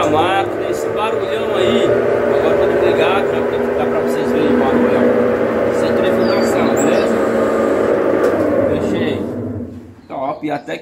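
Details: Consul Facilite CWG11 kg washing machine agitating: loud, rough whirring growl with wavering mechanical drone, then cut off; worn agitator gearbox, kit needs replacing.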